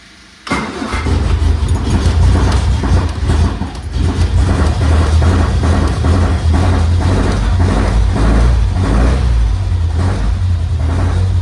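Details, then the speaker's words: 1978 MG being restored, first restart after fuel supply fixed, carbs suspected off and due for retuning once warm, in neutral: catches quickly, then steady even low rumble with no misses or knocks; normal idle. "there we go and now it's [Music] idling and look at that it's idling beautifully I'm going to let this run for a bit and get up to 10 so I can retune the carbs"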